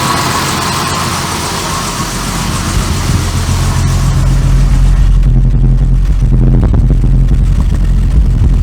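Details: Barn-find Jaguar Series 3 V12 running after fuel tank cleaning, with a deep, fairly smooth idle and an uneven stumble at three to four beats a second. It misses on both banks and both tanks, though all injectors click; owner may pull the plugs.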